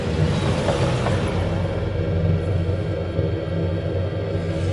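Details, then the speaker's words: Aqua-Hot burner fired after a burner assembly service including the fuel solenoid; a purge cycle, then ignition into a steady, even roar with no sputter or pulsing; the flame burns clean and smokeless. "It's a purge cycle, and then it will ignite the burner. We have ignition, and clean as could be."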